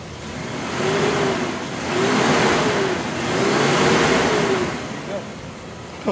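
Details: Engine restarted after a full system reset, with no check engine light, warmed briefly then revved: settles, then pulls up smoothly through a couple of clean rises and drops back. No misses or knocks; sounds healthy.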